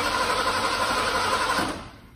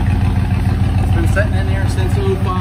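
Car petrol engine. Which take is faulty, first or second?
first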